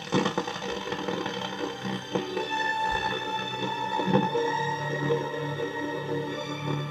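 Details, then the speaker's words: 1961 Grundig valve powered speaker, 220 V design run on about 240 V through a dim bulb, after replacing a coupling capacitor: music fuzzy and gritty with a harsh edge on every note; distortion persists, cause not yet found. "no it's still got the Distortion all right I'll turn that off"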